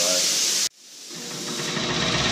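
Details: Air compressor after swapping in a replacement pump: the steady hiss of air draining stops sharply, then the pump motor cuts in and builds pressure evenly. The check valve holds without leaking. The pressure switch cuts in normally.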